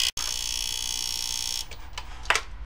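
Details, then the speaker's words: Fisher PC-19R90 15-inch TV, back cover off, power board near the relay: loud, harsh, constant buzz like a ratchet while the TV otherwise works. The relay is ruled out; a faulty capacitor near the relay is the cause. "el problema se escucha en esta área cerca del Relay pero no es el relay Porque si fuera el relay la televisión no prendería"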